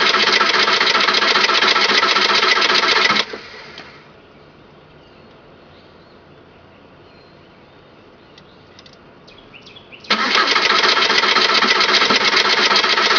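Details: 2002 Volkswagen Jetta TDI diesel hard start: fast regular cranking whir for several seconds, a pause, then more cranking without catching.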